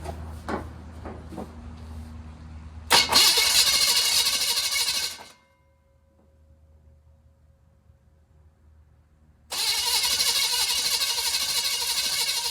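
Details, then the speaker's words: Budget small-block Chevy V8 in a 1940 Chevy, first start after revival, timing chain unchecked: cranks, catches and runs rough with hissy, uneven chuff from one exhaust bank, cuts out and refires; abnormal exhaust sound, cause not confirmed. "I don't like that sound coming out of that exhaust. It's got a weird sound coming out of this bank."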